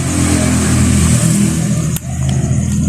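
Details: Carbureted XR 200 motorcycle: steady low rev drone with sharp pop as throttle dips; backfiring and lacking power at top end, carburetor checked and cleaned, cause suspected, not confirmed.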